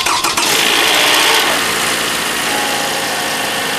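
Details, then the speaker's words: Toyota Camry (2012-2017) 2.5L cold morning start: harsh fast metallic rattle easing into idle, VVT cam phaser rattle attributed to a clogged cam-solenoid oil filter basket or overdue oil changes. "so if you have a Camry I'm sure you experienced that before every morning you turn on the engine you will hear rattling sound like"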